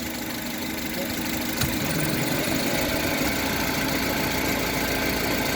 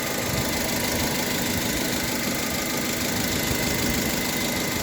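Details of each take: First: Honda HR-V CVT: quiet in Neutral, then after a light clunk into Drive a low droning hum from the rear area appears, louder with a little throttle and gone in Neutral; transmission hum, owner suspects bearings. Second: Honda HR-V CVT idling in neutral: even engine idle with no gearbox hum; the hum that appears at the rear in D (owner suspects bearings) vanishes, transmission quiet in neutral.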